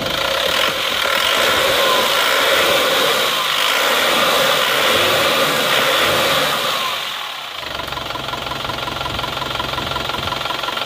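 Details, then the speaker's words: Panther pickup diesel at about 60 degrees after repair, running with newly replaced piston rings. It revs smoothly, climbing and dropping back to a steady idle with no knock or harsh rattle. Smoke is gone: normal revving. "ini sekernya baru ya jadi suaranya bisa halus seperti ini karena ini seernya baru"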